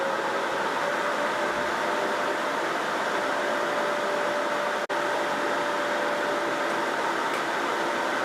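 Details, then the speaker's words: Audio Desk Systeme record cleaning machine after repair and sensor replacement, record rotating: constant even whir with faint steady mid-pitched hum, no grinding or rattles; normal cleaning cycle. "So right now, it is in a cleaning stage, and we're going to kind of just let it do its thing."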